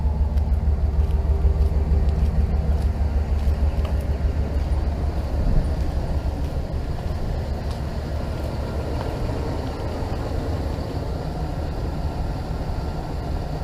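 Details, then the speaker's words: Dodge Ram 5.2 V8 after fixing exhaust manifold leak and replacing studs with bolts: steady deep burble at idle, even and smooth, no ticking or puffing from the manifold; normal idle. "So as you can tell, we got the truck running with no more exhaust leaks."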